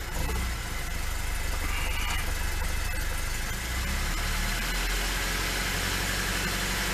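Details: Lada 2102 carbureted engine started after sitting about a year, idling rough and low with a brief stumble and dip as it's blipped; owner notes a flat spot on acceleration, cause unclear.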